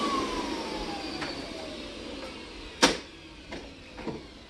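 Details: Hoover SteamVac Widepath carpet cleaner about 20 years old: suction whine drops steadily in pitch, then thumps; recovery tank full and needs emptying.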